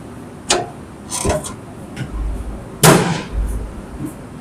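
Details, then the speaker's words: Caravan entry step, sheet plate never welded to the two mounting beams leaving small gaps, stepped on: three sharp metallic slaps and clangs as the loose plate hits the beams; fix is cinching down a wood block. "So, we've got some small gaps between the underside of the sheet and the two beams that we welded across to mount the step, but we never welded the sheet to the beams."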